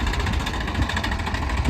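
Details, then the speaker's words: Mid-1990s GMC TopKick manure truck with a blown engine leaving a line of oil on the ground: rough idle with a fast, steady tick over the engine note, sounding like missing cylinders; engine ticking like crazy, internal damage suspected, not confirmed. "we'll uh we'll give it a listen when we get back of course I guess you could hear at the last one it's just ticking like crazy"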